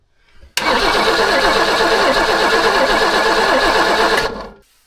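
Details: Abandoned BMW E21 after sitting for years, battery briefly charged, fuel filter now wet from the mechanical pump: starter spins the engine about three and a half seconds at an even churning rhythm but it never catches; crank no start.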